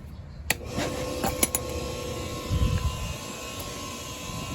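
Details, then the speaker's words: Hayward HeatPro pool heater after replacing failed 80/7.5 µF dual capacitor that stopped the fan (LP error): relay clicks, then quiet steady motor hum and even whoosh as fan starts, compressor due in minutes; normal fan operation. "This is the fan. So all we need now is the compressor to come on in about 4 minutes."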